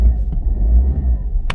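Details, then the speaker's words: Diesel Peugeot 207, 2008, 63,000 miles, first cold start of the day after standing a while: low steady rumble with no clatter, misses or knocks; warning lights go out, engine sounds healthy. "now I haven't started this today so this is first time I've started it cold oh there we go never in doubt light going out"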